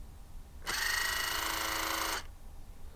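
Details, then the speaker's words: Cavalier, headlamp levelling switch stepped to position 1, second microphone set up: short steady high-pitched electric whir of about 1.5 s, starting and stopping cleanly; levelling motors working normally. "can hear that move from here. Number 2. Number 3. Brilliant. That sounds like that they are working."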